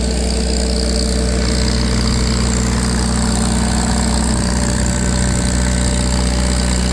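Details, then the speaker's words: Farmall 350 row-crop tractor on a PTO dyno: steady even low chug under heavy load, no knocks; sounds healthy. "Sure sounds good. They were always my favorite tractors, those Farmall 350 row crops."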